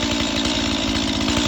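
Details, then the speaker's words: Stihl MS 180 C chainsaw on 93-octane gas and synthetic oil mix, fully cold start after sitting overnight, started on half choke: fast, even two-stroke buzz holding a steady high idle with no stumbling; normal choke fast idle. "starts right up all you do is give a little gas it releases it got it's set up for like a high"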